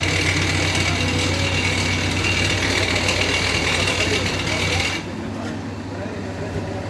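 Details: 2006 Renault Espace 1.9 dCi diesel at idle, loud with a harsh rattling beat around four per second that quietens near the end; badly damaged crankshaft damper pulley separating into two pieces, should not be driven.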